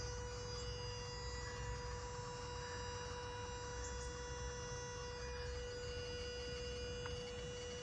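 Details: 2010 third-generation Prius: constant mid-pitched hum or buzz over low rumble; owner says it always made this noise but not this loud, cause unknown.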